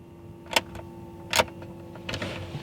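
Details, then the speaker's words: Ferrari 360 at key-on: a steady low electric hum of the F1 gearbox pump priming, with a couple of sharp clicks. Normal F1 pump priming, though the car then won't start and shows a gearbox fault with no gear selection. "Key in the ignition, turn it on. You can hear my F1 pump."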